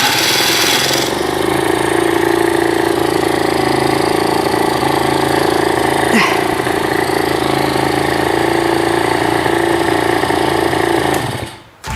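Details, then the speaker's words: Aprilia Classic 50 two-stroke, first start after overhaul with a new aftermarket cylinder and piston and a cleaned carburetor: engine catches and settles into a steady buzzing idle, around four pulses a second, running evenly without misfires or knocks. "やったアプリリアのエンジンかかりました動くもんですね"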